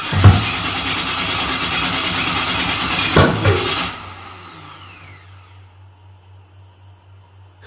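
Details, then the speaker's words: Gen 3 turbo LS on Holley Terminator X: cranking with sharp pops and a stumbling catch that dies away; backfiring start from relocated front cam sensor needing its outer two wires flipped to sync with crank sensor; fixed by swapping them. "as you heard I'm getting that like that weird like little backfire hiccup thing going on and that keeps happening to me so I know there's something wrong happening"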